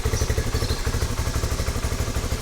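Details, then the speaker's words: Rusi Flash 150X V3 2026 motorcycle, about 4 months old, cold engine: lumpy idle with irregular low thumps and stumbles, delayed combustion, owner says it clears at operating temperature; rough idle when cold. "Pero sa ngayon, ayan o, delayed ang combustion niya. Hindi maganda pakinggan."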